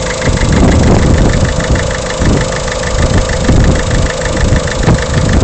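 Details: Peugeot 307 1.6 HDi diesel idling with a sharp, regular knock ticking through the clatter; engine knocking noise at idle, cause not pinned down.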